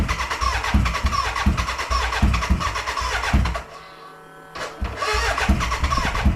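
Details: BMW K100 café racer first start after rewiring, tank newly fitted and fuelled: labouring crank beats about three a second, brief pause, cranking again without catching, a cranking no-start; owner suspects the battery died and will recharge.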